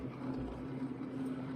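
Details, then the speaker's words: Range Rover V8 on a remote outback trip: knocking or tapping the day before, now running quiet with a thin, steady high squeak. Only the air filter was changed; squeak source unclear. "it's quite quiet now y but now we're only getting squee what were you getting before a tap"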